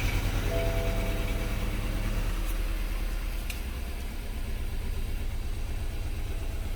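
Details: Low idle with an uneven, stumbling beat about every third of a second instead of a smooth hum; cylinder 1 is misfiring.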